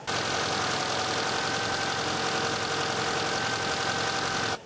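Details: ZAZ Tavria/Slavuta engine idling right after alternator belt replacement and tensioning: steady even idle with dense engine rush, no belt squeal or whistle, belt installed and adjusted correctly.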